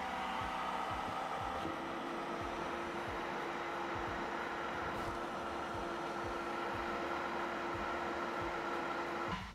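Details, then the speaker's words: Creality K1 side cooling fan with a large two-chamber 3D-printed resonance muffler with big holes: steady soft airy whoosh with faint low tone, no rattle; about 63–64 dB, airflow 5.1 m/s, fan running normally. "yeah similar to last time 63 64 but I wonder what the air speed is"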